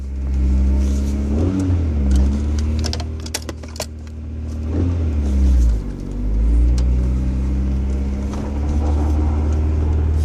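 A low, steady rumble runs under the engine and road noise while the car is moving, which points to a worn wheel bearing. Cause suspected, not confirmed.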